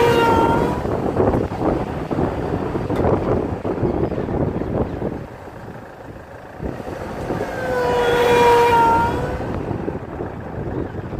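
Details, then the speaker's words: Land Rover Freelander 2 SD4 2.2 diesel driving under load: thin whistle rising over road and wind noise, appearing near 2000 rpm as it pulls; suspected boost-related, source unconfirmed. "it starts to come through when we reach close to 2000 RPMs so at this moment I think and I might be wrong to me looks like boost related"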